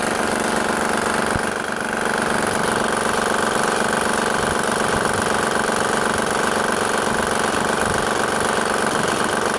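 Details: 2007 Honda Pilot with engine noise complaint, timing belt covers off: steady idle with light even tick about four per second from around timing belt area; cause suspected, not confirmed.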